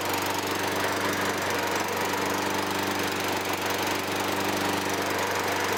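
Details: 2003 Toro Recycler 20016 with Tecumseh 6.5 single-cylinder, a trash find with carb and gas tank cleaned, restarted after cooling down. It gives a steady, even drone with no misses, knocks or surging. The earlier smoke disappears; the oil later proves dirty.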